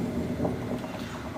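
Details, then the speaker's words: Beko D5 7101 7 kg washing machine with plastic tub, loud steady low rumble and drone during spin; drum bearing failed with balls scattered, bearing and seal replaced. "Çamaşır makinemizin sıkmada çok ses yapıyor."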